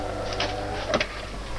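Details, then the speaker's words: De'Longhi Perfecta coffee machine that grinds poorly and squeaks loudly, before repair: brew unit cycles with harsh grinding whir and sharp squeaky bursts; gearbox suspected. "ну действительно при тестировании работы заварного механизма выполняется с очень сильным скрежетом вот это конечно недопустимо"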